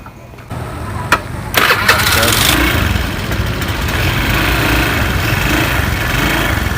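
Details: Honda Beat FI scooter that stuttered at low rpm and died while riding; a weak fuel pump and faulty wiring from the fuse to the ignition switch were found. After the fuel pump was replaced it catches after a brief crank and settles into a steady, even putter; runs fine.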